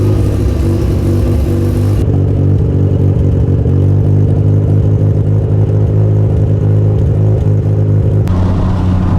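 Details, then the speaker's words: Mazda RX-7 FC3S Turbo II rotary after a new stainless exhaust with the emissions and catalytic converter deleted, heard in-cabin while driving: an extremely quiet, deep, even drone with a nice tone and audible turbo spool on acceleration; no rattles or leaks; normal exhaust tone. "The exhaust is extremely quiet, but it has a nice tone. I can actually hear the turbocharger spool when I accelerate."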